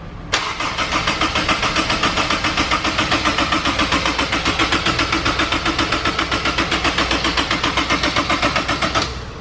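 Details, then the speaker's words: Turbocharged Honda S2000 with a remote oil cooler, cranked with the injectors removed to build oil pressure before first start: steady starter cranking at about 220 beats a minute for nine seconds with no firing, which is normal cranking. "all right so it took the injectors off right now we're going to crank it try and get a little bit of oil pressure before anything else"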